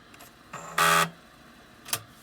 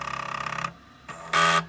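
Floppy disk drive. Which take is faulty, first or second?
first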